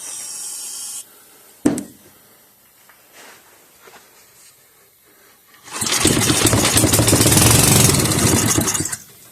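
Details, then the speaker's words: 5hp Briggs & Stratton engine from a Bolens 5 rototiller, run on the bench after cleaning and reassembly: a pull, weak puffs, then a rough fast chatter that fades. Hard starting and barely catching; diesel in the cylinder, possibly flooded. "There was diesel in the cylinder, so it is going to smoke. Flooded, probably. Might be."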